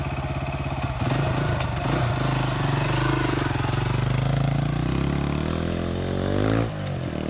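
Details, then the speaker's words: Honda XR250 single-cylinder engine reassembled after a gear-selection fault (snapped main shaft, chain possibly too tight). On the test run it fires cleanly and evenly, revs rise and fall smoothly with no knock or clatter; running perfect. "i'll get it bowl together and we'll do a test run [Music] running perfect brand new"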